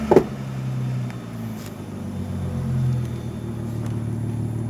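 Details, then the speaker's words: Car with cold air intake, revved from the front: engine hum swells after a blip, then revs sink back only slowly instead of dropping straight to idle; owner attributes it to the cold air intake, mentions cleaning throttle body flaps; unconfirmed. "the cold air intake, it be like that. It won't drop that down real quick."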